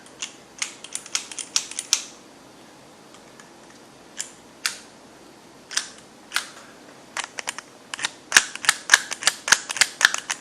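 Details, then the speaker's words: Arrma Talion 6S RC truck, motor and transmission removed and turned by hand: sharp dry clicks in uneven bursts, not a grind, something catching in the gears; owner suspects front and center differential problem, not confirmed. "there's motor and transmission and from what I can feel it definitely doesn't sound good does it"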